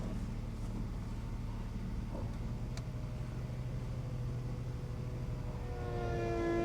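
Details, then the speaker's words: One-owner salvage-auction BMW Z4 3.0, first test of the convertible top in the shop: steady pump drone, then a strained whine rising near the end of travel, with the hydraulic top pump labouring on low fluid. "on fluid. Lovely. This is why I didn't try it out at the yard."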